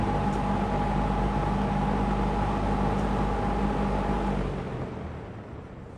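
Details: Lakewood P25 metal-blade box fan, barely used since bought new around 2009-2010, in a window, high speed: strong steady air rush, even motor hum and faint constant tone, then easing off; moves a ton of air, normal running.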